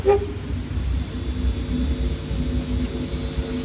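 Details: Old turntable, second of two after quick maintenance, with serious noise problems: steady low hum and rumbling buzz in the output, caused by a floating ground wire acting as a parasitic capacitor picking up interference.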